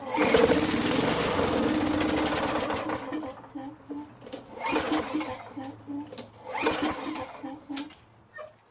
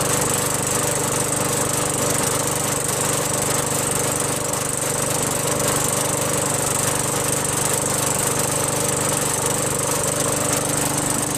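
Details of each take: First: Craftsman 5.5 hp Tecumseh 21-inch push mower, varnished carburetor treated with Mechanic in a Bottle: fires on prime, runs briefly, falters, surges and dies; only runs on prime. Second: Craftsman 21in push mower with a 5.5HP Tecumseh engine that previously started only when primed, then stalled. After a quick carb bowl cleaning with carb cleaner, fuel flows and it keeps a steady, even clatter at constant speed, no surging or stalling. Normal running.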